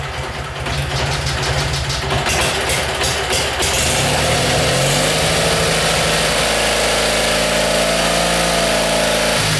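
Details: Simplicity engine being hard to start: repeated cranking at about four strokes a second, then it catches roughly and settles into a rough idle; hard starting, cause unknown.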